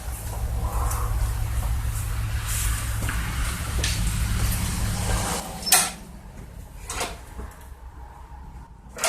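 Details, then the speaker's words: 2012 Yard Machines 11A-A54R729 21-inch push mower, Briggs & Stratton 158cc 500 Series, new carburetor and tune-up kit, fresh plug, 90-octane gas, primed cold start: starts on third pull, steady smooth low drone about five seconds then stops; normal running. "Heat. Heat. Awesome. Like the third pull started right"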